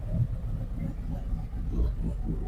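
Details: 2023 Harley-Davidson Street Glide ST, Stage 2 with CR483 cam, ThunderMax, Bassani headers and S&S oil pump, at about 172 degrees during the idle tune: a deep, loping, choppy but steady rumble. Normal cammed idle.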